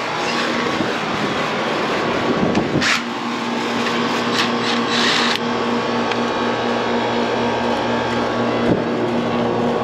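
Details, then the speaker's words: 15-year-old never-serviced outdoor AC condenser, about 80°F outside, thermostat set 72, still cooling: steady electrical hum and loud fan air rush; technician suspects the fan. "i got the unit set to 72 and 75 in the house they say it does cool well just making a loud noise"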